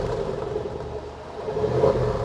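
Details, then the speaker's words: Range Rover Sport SVR, replacement 5.0 L supercharged engine fitted after a major failure, running about 20 minutes with water still pouring from the exhaust: deep, smooth short rev with no knock or misfire; judged a good engine. "100% no doubt about it we've definitely got a good 5 L supercharg engine"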